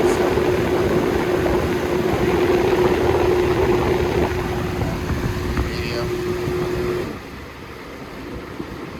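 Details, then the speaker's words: Holmes HABF-20 box fan, circa 2000–2001, on high: steady mid-pitched electrical motor hum over the airflow that drops away when speed changes; hum mostly on high, sometimes medium, quiet on low. "the humming cell only happens on high but sometimes happens on medium but most frequently on high on high most likely so you can hear it i don't know if you hear it but the humming is there"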